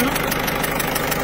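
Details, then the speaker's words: Citroën C4 Picasso 1.6 HDi diesel, pre-05/2010 engine, idling: sharp ticking about six per second over steady idle from leaking injector seals blowing compression; known underlying cause of turbo failure, seals to be redone. "à la porte on a les injecteurs 2 1 3 4 c'est loupé et plus on l'entend quand même à lui me fait pas peur"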